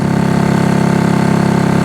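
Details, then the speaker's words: Honda CB200T twin after camshaft and valve replacement, smoking: fast, lumpy, hollow idle, sounding like only the left cylinder fires. Old spark plugs suspected; carb work also needed. Running on one cylinder. "sounds like we're only on the left which we'll get it sorted yeah sounds like we're only on the left"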